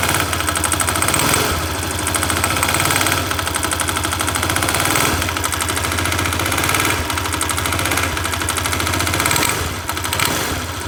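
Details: 167FMM single-cylinder engine: steady run with a sharp metallic tapping, fast and even with revs, which worsens under engine load; internal knock, cause unknown.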